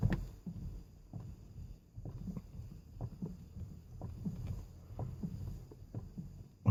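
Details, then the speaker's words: Ford Focus MK1: dull regular clicking about twice a second from the steering column as the wheel is turned; failing column, later replaced. "you can hear that clicking and before we rip the column out and I get the lower bolster off and some light in there I'll show where the failure point is on this particular column"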